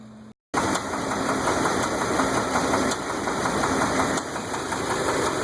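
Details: 2001 Dodge Ram 8.0L V10 at idle: sharp ticking with a heavier rhythmic knock, traced by stethoscope to the passenger-side head; these engines may break rocker arm bolts, setting the pushrod free.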